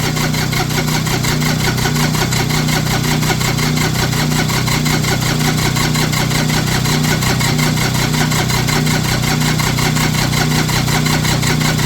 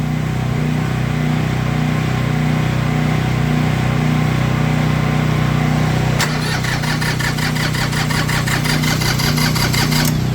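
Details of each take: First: Diesel tractor with one or more bad glow plugs, started using a hair dryer blowing into the intake as a temporary fix; steady, even diesel clatter at a settled idle with no misses: normal diesel idle. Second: Cold tractor diesel on a cold morning, just started with a hair dryer blowing hot air into the intake as a temporary fix, chugging with an uneven lumpy beat and slowly steadying; the owner says the glow plugs, or one of them, are bad.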